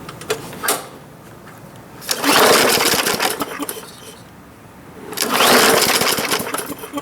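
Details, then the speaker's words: Bolens (MTD) 21-inch push mower, free, after priming: small engine catches, revs briefly, dies, then surges again, won't hold steady run; owner suspects carb needs cleaning due to varnishy-smelling old gas; engine cutting out. "okay so that's good news we have spark we have fuel we have air and she's cutting out a little bit but the fact that it runs is always a great starting point"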